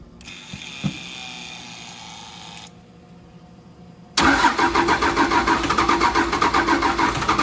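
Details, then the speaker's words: 1953 Mack A40 with a swapped 24-valve 5.9 Cummins diesel from a school bus: after failed cranking, it fires abruptly on the restart and settles into a steady, even idle clatter. It starts and runs normally, quickly building 60 psi air pressure; throttle works. "see how she knows on the restart that ain't bad does the throttle work sweet"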